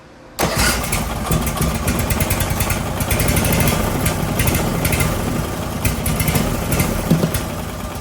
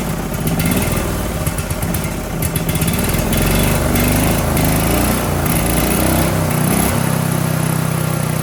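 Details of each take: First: Briggs & Stratton 18 HP Vanguard, second start attempt after swapping the fuel pump: starts, then sits at a rough steady low speed that never climbs; user error, the governor arm was pushed instead of the throttle. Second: Briggs & Stratton 18 HP Vanguard twin: fires steadily with a light, slightly uneven note, then picks up and settles, with the choke held open and the throttle actuated properly. It runs healthy with no knocks or backfires.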